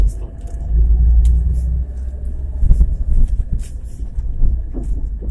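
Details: 2017 Chevrolet Niva 4x4 driving slowly on an uneven dacha-settlement road in 2nd and 3rd gear at about 40 km/h, clutch pressed and released; irregular dull drivetrain knocks and clunks over the low rumble, cause unconfirmed.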